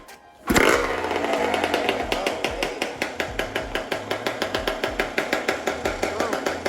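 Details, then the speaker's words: Rebuilt Honda CR125 two-stroke with Pro Circuit pipe at first startup, intake not yet fitted: fires first kick, revs briefly, then settles into an even popping idle with no misses or knocks; normal idle. "runs very well I'm actually very very surprised so I'm very glad"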